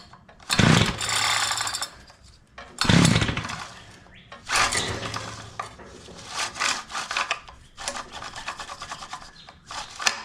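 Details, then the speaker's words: Curb-found Tecumseh two-stroke Mantis-style tiller on half choke: several scraping pull-cord strokes give brief sputters, spitting a couple of times without catching, until the starter rope gives up. It tries to fire but won't start. "Well, she tried to start, and then starter rope gave up on it. There we go. Tell you what though, she is trying to start."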